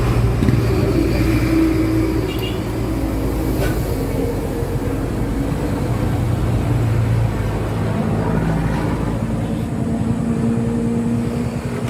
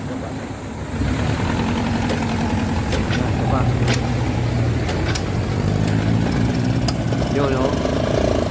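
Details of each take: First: Yamaha YTX125 after its carburetor was cleaned, which fixed the misfiring and stalling: a low, throbbing single-cylinder beat holds fairly steady over light street noise; it now runs without dying. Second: Yamaha YTX125 motorcycle that starts but won't keep running: the engine putters unevenly, skipping and stumbling at low revs as if about to die; it misfires and stalls.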